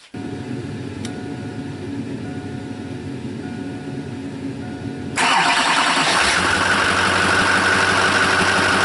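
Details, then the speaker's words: 2002 Chevy 2500HD 6.6 L Duramax diesel with Allison 1000, run with drive belt removed; catches, idles evenly and revs cleanly with no whine, squeal or knock, so earlier noise lies in idler, tensioner or suspected alternator. "So as you knew when we did it, it was a constant noise with the engine, and when you revved it you heard it. Now you don't."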